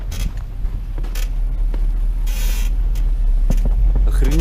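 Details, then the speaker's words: BMW X5 E53 driving on summer tyres: irregular sharp metallic creaks and clicks from the rear over road rumble; owner says definitely not the shock absorber, metal-on-metal rubbing suspected, cause unconfirmed. "это не амортизатор точно звук такой металлический"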